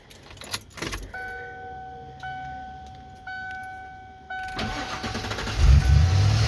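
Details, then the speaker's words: 1996 Ford F150 5.8L gas V8 just after starter replacement: chime, short crank, then it catches promptly and settles, with no grinding or clicking. The new starter sounds healthier than the old one. Normal start. "nope seems like it's uh you can i can definitely tell this starter sounds a lot healthier than the other one it sounds a lot healthier than the other one"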